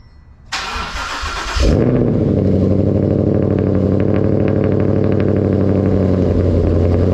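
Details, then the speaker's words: 5.0 Mustang GT Premium, first cold start after about 6 months of Minnesota winter storage, weak battery around 11.2 V: starter whirs, V8 catches with a loud flare, then settles into a steady, even, deep cold idle. "All right, first cold start of the year."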